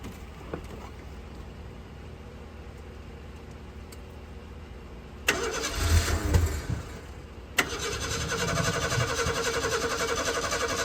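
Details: 1976 Ford Pinto that shut off on highway with 2 gallons fuel in tank: starter churns unevenly a couple of seconds, ragged firing fails to hold; hard start. Owner suspects choke sucking shut, burnt fuel pump or disconnected wiring.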